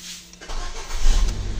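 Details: Ford EcoSport, manual, after fixing code P0017 crankshaft/camshaft correlation, with the old timing belt reused: short crank, then the engine catches cleanly and settles into a steady low idle with no misfire or rattle; code cleared.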